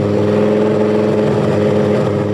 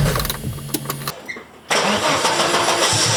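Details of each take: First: 1983 Audi Quattro turbo 5-cylinder after rebuild with new turbo, refreshed head and clutch, and ignition timing retarded: loud open-exhaust run, steady and even with no kickback or starter clatter. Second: 1983 Audi Quattro turbo five-cylinder on first start after rebuild, with new turbo and refreshed head: harsh, stumbling crank bursts cut off twice before it catches and idles. Ignition timing was too advanced and was later retarded.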